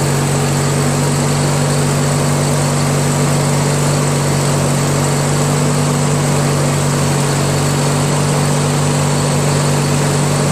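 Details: Craftsman DYT4000 tractor with 14hp Briggs opposed twin repower, electric PTO engaged at low idle, deck blades spinning after releasing belt tension: even unbroken drone and steady low hum under blade load, no surging, charging about 12.2-12.45 V; runs healthy.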